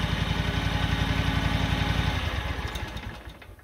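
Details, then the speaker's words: John Deere 737 Z-Track mower with a 23 hp Kawasaki V-twin, after adjusting intake and exhaust valves to 0.004–0.006 in: runs smooth and even, with none of the constant valve tick heard before, then winds down cleanly at shutoff. Normal idle. "i wish i'd have done a before and after because that is so much more quiet than it was before because before it was just a constant tick tick tick tick tick tick tick tick tick and that is that is world's better"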